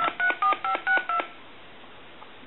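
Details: Harris TS22 lineman's buttset after board repair: last-number redial plays six clean, even dial tones, about one every sixth of a second, then quiet; redial works correctly.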